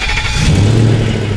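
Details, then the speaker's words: 2000 BMW 740i E38, lifted and being prepped, after the DME was plugged in. The engine catches quickly with a short clean rev and settles smoothly, starting normally. "oh dude that started great yeah it sounds good now"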